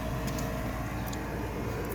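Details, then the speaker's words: 1969 Ford F100 heater blower run again after pulling a suspect wire bundle: steady even fan rush, no rattle, squeal or scraping; blower normal, fuse confirmed as the fault. "Kind of nervous. Hey, motor came on. You hear that? So it's that fuse."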